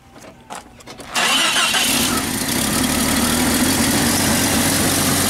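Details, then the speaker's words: Jeep Cherokee 4.0 after a tune-up with new plugs, wires, cap and coil wire, previously hard-starting with a random-misfire check-engine light: brief crank, catches, fairly steady idle with slight unevenness; still a rough idle, owner suspects an injector. "does a little better it seems to be running a little bit better we're gonna take it for a test drive it's still got a little bit of a mess it feels like maybe injector or I don't know"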